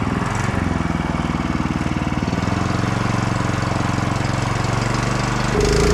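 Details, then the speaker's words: Go-kart with 11hp Honda GX340 single held wide open: ragged, uneven, hunting beat rather than clean pull; stumbles under full throttle, owner suspects low fuel, unconfirmed. "But you can hear in the first part that I kind of floored it. I think it's just got some low fuel in it, because I checked the fuel."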